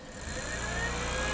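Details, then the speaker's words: New three-phase motor for Myford ML7 lathe on 2.2 kW 220V VFD, jogged from the panel: high steady drive whine over soft even motor hum as the fan comes on; motor running smoothly at slow jog speed. "You can hear the fan come on, and the motor will turn at a slow speed, or whatever speed you've set it to run at."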